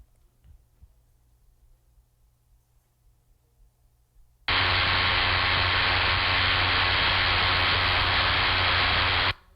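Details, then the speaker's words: Electric motor bearing recorded with ultrasound detector: hissing rush with deep bassy hum underneath, indicating a bad bearing (outer race defect). "go to file play the bad bearing listen for the base sound in this bearing"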